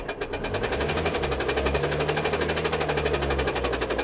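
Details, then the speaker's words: Auction Nissan with 2022 battery, jump-started just after start: fast, even ticking knock about four times a second, first suspected low compression or top end, not rod; crank pulley harmonic balancer found detached. "well that doesn't sound like a rod either guys that sounds like top end of the motor yeah there's something going on on the top end"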